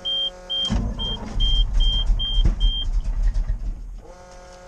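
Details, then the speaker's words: 1988 GMC 6000 truck: uneven starter cranking for about three seconds that slows and surges but never catches. It is hard to start, and it didn't do this at twenty-nine degrees. "ooh this thing's getting hard to start right now it's not liking me today what the heck are we gonna do things not wanting to start today"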